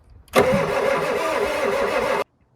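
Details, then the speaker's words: Old Ford turbo diesel truck that sat for years: steady even cranking for about two seconds, never catches; fuel filter appears dry, fuel starvation suspected. "nothing maybe we should pull that filter off and see and see what there's fuel in it in the filter"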